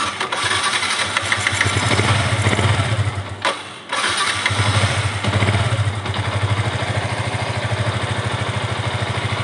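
Single-cylinder idle sags and nearly dies midway, then catches and runs ragged and uneven; unstable idle that wants to stall.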